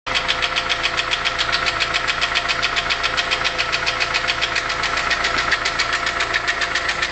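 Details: VW Polo 6N 1.4 L petrol engine that lost power, stumbled and sounded very bad: a sharp, regular tapping about five times a second rides over the idle, following engine speed; failed hydraulic lifter with a hole in it.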